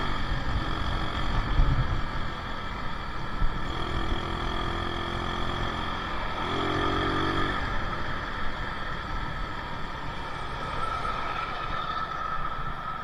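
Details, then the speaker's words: Yamaha Mio Soul carbureted scooter road test after carburetor fix for lack of power, running without air filter: loud single-cylinder note pulls steadily and evenly when throttle opened from closed to half and above; normal acceleration. "Oke, sudah normal ya sepertinya ya. Saat kita tutup gas, kemudian kita langsung buka gasnya ya dari 0 setengah kemudian naik ke atas dia sinkron ya ee artinya motornya mau lari ya."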